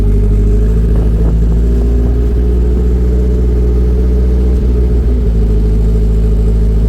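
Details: Nissan 240SX project car idling on its own after troubleshooting starting problems (timing work); not revved because turbo is misbehaving and there were oil leaks. Steady, even, quiet low rumble with no misses or knocks; normal idle.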